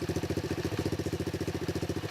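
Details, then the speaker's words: X18 pocket bike single-cylinder after swapping oversized carburetor for stock carb, jump-started: even quick putter about twelve beats/s, steady, no misses; quieter than before, normal idle. "Sounds quiet. Very more quiet. New carburetor."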